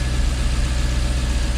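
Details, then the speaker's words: Jaguar XK8 V8 idling after ignition coil replacement fixed a misfire: deep, steady, even rumble with no stumbles; good oil pressure, battery charging; slight vibration remains, owner thinks plugs may be due. "you can hear that Tony yeah she's running good we've got good oil pressure batteries charging"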